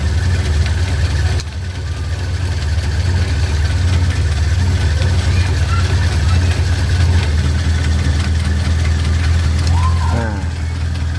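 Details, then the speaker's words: Carbureted Suzuki Katana idling after carburetor air and throttle screws were adjusted: steady, even low hum with no hunting or surging; engine settles into a smooth, quiet, stable idle. "akan lebih anteng ataupun terdengar lebih lebih adem atau lebih halus bekerja"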